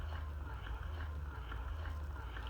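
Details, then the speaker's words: Hygeia EnDeare breast pump on its maximum setting during a pressure gauge test, reading in the yellow maximum range: a steady low motor hum with a soft suction pulse about twice a second, operating normally. "and then i'm just going to go ahead and put it on the maximum it should be somewhere right in that yellow for the maximum pressure"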